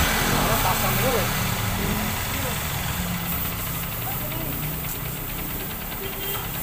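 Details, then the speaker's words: Honda XR150 single, after clutch housing re-riveted with new rivets to fix weak pull and loud rattle: steady low thump with light even patter, no clutch-side rattle; sounds healthy. "Yan guys, kanina yung pag pinandar natin, malakas yung kalampag. So ngayon, nung pinaribits natin yung clutch housing, nawala na yung kalampag ng makina dahil bagong rivets siya."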